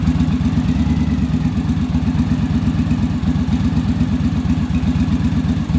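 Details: Yamaha Virago V-twin after final rear-carb idle adjustment in the on-engine manometer sync: steady, even thumping at idle with no hunting between cylinders; smooth, balanced twin idle.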